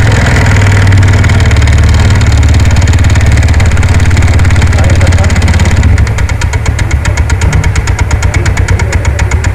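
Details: TVS NTORQ scooter engine running: rapid uneven rattling noise over idle, caused by a loose one-way clutch nut.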